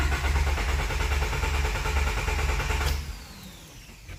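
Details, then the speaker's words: Honda D15B VTEC turbo just fitted with Acura RDX injectors, before the ECU basemap install and with worn old spark plugs: the starter cranks evenly for about three seconds with no cylinder catching. The no-start cause is unconfirmed. "see it definitely doesn't want to start"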